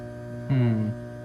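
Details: Trane package heat pump on a no-heat call at about 30 degrees outside: 240 V reaches the blower, but only a steady electrical hum with no airflow; blower and condenser fan not running. Bad fan motor suspected, possibly capacitor, unconfirmed.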